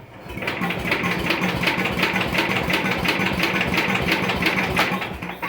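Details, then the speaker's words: 1973/74 MTD 990 Briggs Big Block engine after a Flo-Jet carburetor rebuild runs with a clattery, rough, uneven beat before cutting out. The carburetor is flooded and leaking fuel; the owner suspects the float is set too high and plans to fix it. "oh no it's just absolutely flooded out oh I bet I got the float set too high okay well we'll stop that pull it back apart fix the float"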